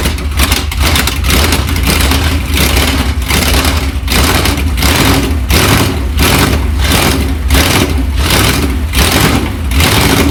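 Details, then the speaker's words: Ferrari 308 started with no exhaust silencer fitted: very loud, raw, deep rumble with a lumpy, pulsing idle and no muffling at all, running on open pipes. "I think it's gonna be horrific ly loud and probably won't actually sound that nice but but you never know it's something something to try I think at least once oh my god that is unbelievable"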